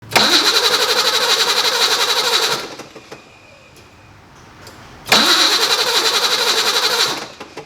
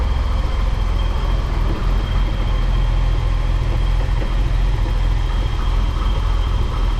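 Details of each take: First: BMW E28 with M30 engine, cranking after a recent spark plug wire loom replacement: two cranking bursts of about two and a half seconds, steady fast churn at roughly four per second, never catching; no-start from corroded distributor cap and rotor. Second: BMW E28 M30 straight-six just after distributor cap and rotor replacement, which fixed its no-start: deep, smooth, even idle with steady low rumble, no misses.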